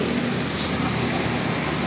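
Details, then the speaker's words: 1996 Honda Civic automatic running with the AC on high (level four) after the damaged AC belt was replaced: steady, even hum with no belt squeal or chirp; noise fixed. "so ayan naayos na yung ano yung ating aircon hindi na siya maingay nakita niyo naman ah."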